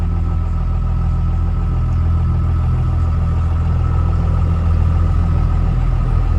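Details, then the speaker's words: Ford F450 with stage 2 46RH transmission and billet torque converter, idling: fast, deep even drone with faint clatter; idles a bit high, and lowering below about 1,000 RPM shakes the truck heavily. "It idles a bit high. I've tried to lower it by reinducting the pump and undoing the idle screw, but once it gets down below about 1,000 RPM, it really shakes the truck a lot."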